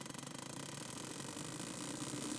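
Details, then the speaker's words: 2000 Honda Civic, Tunelink Auto Bluetooth adapter to the stereo via aux cable, powered from a spliced cigarette-lighter feed; fast popping under white-noise hiss through the speakers, rising with engine rpm, only when running; owner suspects bad ground or alternator interference. "But as soon as I start up the car, listen to this. It's like popping, like it has some reverb or something."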